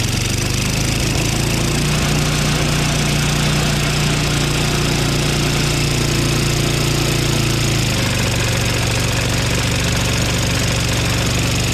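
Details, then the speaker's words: Craftsman two-stage snowblower, single-cylinder engine running with auger engaged in slush: steady drone sags and roughens once load comes on, auger barely spinning; lack of power, owner suspects magneto failing when hot. "Doesn't seem to be much power at all. As soon as I put the auger on, it didn't seem like it was really spinning very fast."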